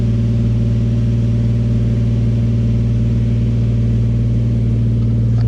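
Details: Nissan 350Z engine's first start after replacing the upper oil pan, damaged because of a sensor, with a part refitted with thread locker to stop leaking. Steady low drone with an even pulse near four per second, no knocks or ticks; settled at idle, white smoke follows.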